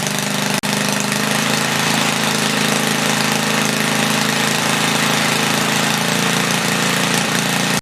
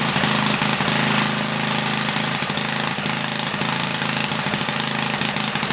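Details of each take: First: 1976 Briggs & Stratton 3 hp Tilly rototiller after cleaning points and leaning the main jet, set to 3400 rpm, no load, loud open exhaust: steady single-cylinder buzz, slightly fluttery, no misses or surging; normal running. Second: 1976 Briggs & Stratton 3 hp engine on a Tilly rototiller, after ultrasonic carb cleaning: loud, uneven, popping bark with a lumpy loping beat; running rich, main jet needed leaning out.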